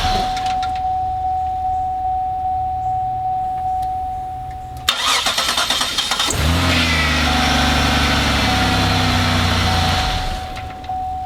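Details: 2004 Buick LeSabre after fixing a click-no-start by cleaning and tightening a loose ground cable on the engine block: steady chime, brief crank, engine catches cleanly and settles to a smooth, even idle.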